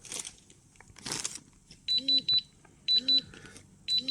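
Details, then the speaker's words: Atom-Scan dosimeter as a source is brought near, first threshold set at 25 micro-units (then 30, 50): short bursts of quick high beeps repeating about once a second with a vibration; first threshold alarm. "От вже спрацював перший поріг спрацьовує одним піском і одна вібрація от чуєте один одна вібрація"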